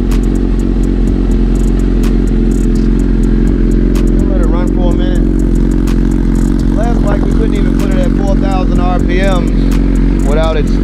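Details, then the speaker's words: 2009 Suzuki GSXR 1000 with a bad sputtering complaint, running on a borrowed fuel tank and pump from another bike: steady, even four-cylinder running with no stumbling. This confirms the original fuel pump was the fault. "now I will admit this pump does sound better than the last"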